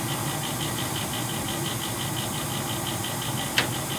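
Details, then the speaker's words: Older Bryant gas furnace noisy at night, before the flame lights and before the blower starts; blower later quiet: fast even metallic ticking about five per second over a steady whoosh; inducer motor bearing rattle, oiling considered as temporary fix. "That's enough to keep you up, that noise right there, no?"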